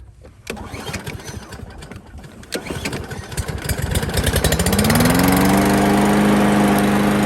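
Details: Craftsman Gold Series 6.75 Briggs & Stratton mower engine after cleaning the plastic carburetor clogged by stale fuel: rough cranking catches and settles into a smooth, even run with no misses or surging; running normally.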